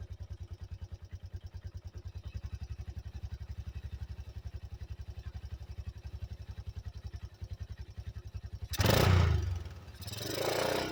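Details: 1985 Yamaha Moto 4 ATV after old carburetor replaced with a new one; even, steady low single-cylinder thump about three to four beats a second, no misses or knocks, quieter than ever before: normal idle.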